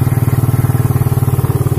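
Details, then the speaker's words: Third-generation Suzuki Satria FU, hard to start in the morning with suspected weak compression and a torn carburetor vacuum, started without a battery: steady, even putter that idles a bit high. RPM won't rise when throttled, blamed on the missing battery. "Oke Kang Bro ya, motor nyala ya, nyala, langsung gasnya agak tinggi nih."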